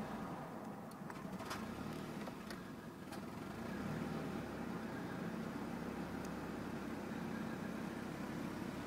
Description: 1992 Nissan 240sx Rough Bouncing Idle